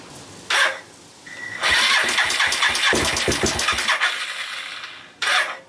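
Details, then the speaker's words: Suzuki GN250 engine started and run briefly: quick, light top-end ticking following engine speed, changed from earlier crunchy sound; valve clearances suspected too tight, cause unconfirmed. "it's really tiggly so the tickly tongue noise continues i guess it changed a little bit it's now more ticking noise than crunchy noise so i guess the valves are in some sort of roll here"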